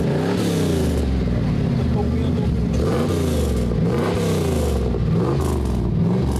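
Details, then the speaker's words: Camaro SS (310 hp) V8 that reportedly had not started in months: deep rumble revved through repeated blips to about 3000 rpm, falling back cleanly and settling to idle with no knock; sounds healthy, normal revving. "Suena muy bien. A ver, a ver. Uy, suena bien, no se siente que golpee puedo acelerar y se quedó ahí regulando."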